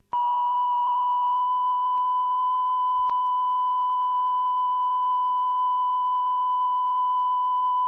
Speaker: this was purely having done the lubrication and this sounds pretty good now I have heard people say there's possibly a bit of flutter on it but I think that's more down to the OBS than recording